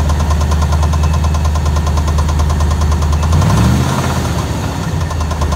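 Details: Engine with steady heavy knock about three per second over a low idle, briefly shifting as revs change; owner suspects rod knock or torque converter, unconfirmed.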